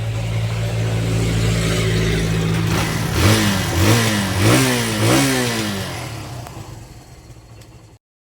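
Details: Barako 175 motorcycle, cold engine, after a new float valve seat, carburetor tuning, tank, air filter and valve clearance work: steady idle and four clean throttle blips before shutoff; it now starts easily with no flooding.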